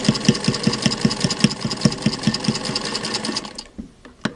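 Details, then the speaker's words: 1952 Singer 1591 sewing machine stitching through six layers of muslin; a steady clunk-clunk two or three times a second, then stops. The sound comes only from the thick fabric; the machine is healthy. "now you can hear that kind of clunk clunk that is only because it's going through six layers of muslin um the machine there's nothing at all wrong with the machine"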